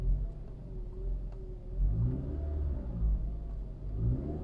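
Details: 2013 Toyota RAV4 running with a thin wavering whine rising and falling with revs over the engine rumble; owner says alternator, pulleys and pump checked fine, source unknown.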